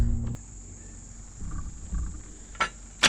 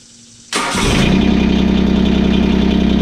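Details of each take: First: John Deere 2653A reel mower with a Yanmar 3-cylinder diesel, which sat for at least 6 years. The battery was charged overnight and a booster pack is on: a click, then steady cranking about three pulses a second, no firing. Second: John Deere 2653A reel mower with a Yanmar 3-cylinder diesel, which sat in the woods for at least 6 years. After the fuel was bled, a quick crank and instant catch give a steady diesel clatter settling to an even idle, warming up the oil.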